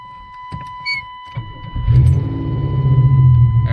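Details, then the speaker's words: 1989 Chevy Cavalier right after fuel pump replacement (had left it stranded): a few starter clicks, then the engine catches and builds to a steady even run; normal start. "there she is she's alive yeah she's alive"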